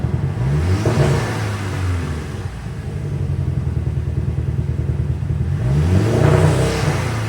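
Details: Highly modified, remapped VW Scirocco R with big induction intake, switched back to stock file: rough uneven beat with stumbles at idle and blips, misfiring much worse; cause unknown after four garages' compression and coolant tests.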